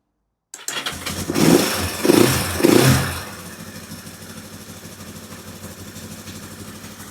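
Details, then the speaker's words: 1972 Honda CL450 twin after carburetor rebuild, new Dyna coils and electronic ignition, cold: fires almost on the first try, three quick blips, idle comes down quickly to an even steady idle; healthy start. "We have a bike running pretty much on the first try. And actually for a cold bike motor, it sounds pretty good right now. And the idle comes down nice and quick."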